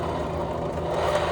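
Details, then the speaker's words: Honda Vario 150 scooter, rear wheel spun by hand gives a coarse gravelly whir from the CVT; likely worn rear (driven) pulley bearings. "Nah, kasar banget seperti ini. Ini motor Vario 150 ya. Oh, suaranya cenderung di bagian CVT."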